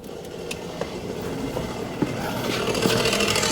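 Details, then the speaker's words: Driver's-side electric parking brake caliper actuator on a 2023 Mazda CX-5: a faint motor whir keeps building with scattered clicks after the brake has clamped. The actuator keeps running on and the caliper needs replacing. "You can hear this thing moving. It has actually engaged the brakes. The brakes are engaged, but the thing keeps moving."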